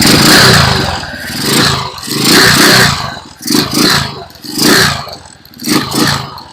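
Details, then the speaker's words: Euro 150 motorcycle, carbureted, long stored, warming up with idle raised to clear carbon deposits; revs blip and settle about once a second, picking up cleanly, running healthy after a dirty carburetor caused the no-start. "Okay na siya. Pinapainit pa natin para mas gumanda yung ano niya. Dahil matagal siyang naano napa-stock. Kailangan pag ganyan medyo tataasan niyo muna yung menor."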